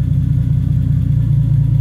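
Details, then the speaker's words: 1985 BMW E30 turbo, 2.5L M50 non-Vanos, HX35, Megasquirt with no idle control valve, idle held by timing and possibly AFR tables. A low, deep idle rumble swells and sags, bouncing and wandering around 500-600 rpm: a hunting idle. "it's not perfect so you do kind of get this bounce and this uh Wander but it runs okay"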